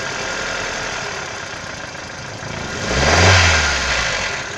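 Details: 1996 Toyota Caldina ET196 5E-FE, a year after rebuild with new crankshaft and bearings: light rapid tapping at idle growing louder on a short rev blip; internal engine knock, cause unknown.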